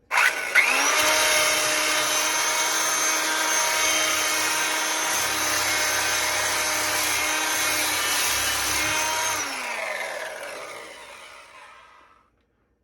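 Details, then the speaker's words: Montgomery Ward Powr Kraft 2-speed polisher sander, final test after bearing oiling, gearbox greasing and heat re-anchoring handle mount inserts: steady, even whir of constant pitch, then smooth coast-down; working pretty well. "that seems like it's working pretty well."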